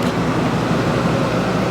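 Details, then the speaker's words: Early 1960s squirrel cage blower fan saved from scrap, fitted snugly in a box: smooth, steady whoosh with a low hum and no ticks or rubbing; runs evenly and is acceptably quiet. "That's really not bad at all, sound-wise. I could live with that."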